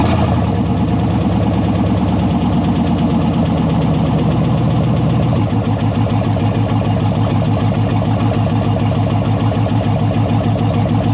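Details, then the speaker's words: Jeep Cherokee with LS V8 swap, first start-up after wiring fuel pump and fan relays: smooth, even V8 burble settling slightly lower after a few seconds, no ticks, knocks or misfires; sounds healthy, gauges work, alternator not spinning yet. "Sounds healthy. Gauges seem to work."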